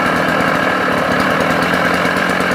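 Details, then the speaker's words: Sachs Dolmar 133 vintage 85cc two-stroke chainsaw, never used for cutting, idles steady and high-revving with a deep coarse rumble from the engine under the buzz; cause not confirmed. "it's it's desperately disappointing to have the this Rumble coming from the coming from the engine"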